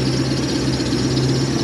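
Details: Toyota 1UZ-FE V8 swapped into a Hiace van, built about 2005, idling after wiring repair with no tune changes (previously chuffy out the exhaust): deep, even burble, steady low hum, no misses or chuff; normal healthy idle.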